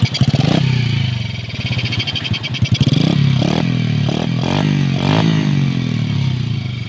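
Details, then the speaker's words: Sunriser SRM 110 motorcycle engine, after the motorcycle split in two was repaired: small single putts steadily and picks up cleanly on a few blips, only light top-end ticking; engine now quiet and healthy. "Mga click lang. Tahimik na yung makina."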